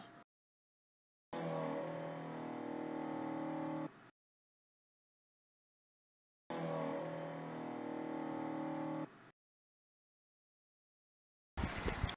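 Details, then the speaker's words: Car fuel pump check: key turned one notch to lights-on without cranking; two short steady hums of about three seconds each with silence between, the pump priming normally. "and then at the same time listen for the pump noise which of course means the pump is working it should sound something like this"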